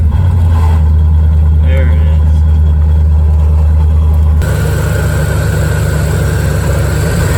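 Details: 1987 Chevrolet C4 Corvette that had been overheating, engine idling before the water pump was replaced. Steady idle with a dull, rough churning underneath that doesn't change with the engine. Failed water pump bearing.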